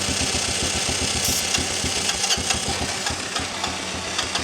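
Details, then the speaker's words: 1985 Honda Elite scooter, long-stored, run on starting fluid: short ragged bursts with an uneven putter that fades and stalls when the throttle is released; fuel delivery fault, carb suspected but not confirmed. "so I'm just going to keep doing a few cycles of starting it on fluid and see if it eventually will stay"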